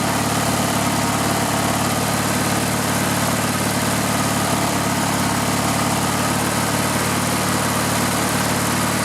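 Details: Riding lawn mower engine with the gas tank bypassed and fuel fed directly to the carburetor: loud, steady drone with an even low beat, no misses or surging; engine good, so the fault is a restriction in the fuel line or tank.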